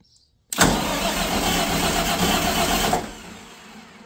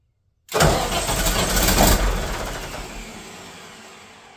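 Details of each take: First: Katolight 110 kVA diesel genset that would not start, start circuit bypassed with a jumper lead: starter grinds, engine catches with a rough roar for about two seconds then stalls; owner suspects it ran out of fuel. Starts briefly then dies. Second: Katolight 110 kVA diesel genset that wouldn't start in auto or manual, on a temporary line: catches with a sharp burst, then a steady even diesel drone that quiets as it eases down; runs, normal running.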